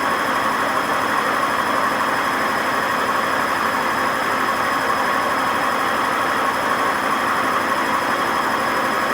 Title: WMA50 spinning without ballast, and very bad bearing noise